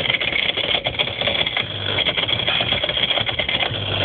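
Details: Whirlpool ADG 7540 dishwasher, recorded underneath while running: constant tinny buzzing rattle moving the right-angled hose and heater; fixed by replacing the pump.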